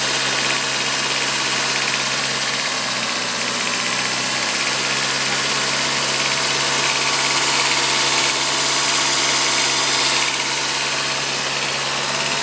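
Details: 2002 VW Golf 1.8T: steady idle with an uneven lumpy beat about three stumbles a second under a hiss, a misfire; spark plugs changed, old ones had lots of oil on them; cause unconfirmed.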